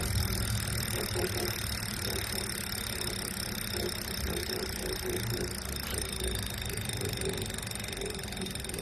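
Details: New Wahoo Kickr V5 smart trainer, itself a replacement for a clanking Kickr Core: rough grinding rasp steady under pedalling with a faint scrape recurring about every half second; cause unknown.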